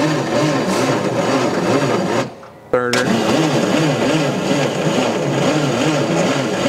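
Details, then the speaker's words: Allis-Chalmers FB20-24 forklift, about 30°F, ether used, battery going dead, spark uncertain: steady starter churning with even rhythmic beat, a pause, more cranking that never catches. Cranks but won't start. "let's crank it up and see what happens see if anything happens oh my battery's getting dead"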